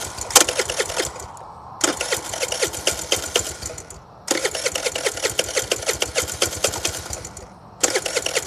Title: Scooter won't start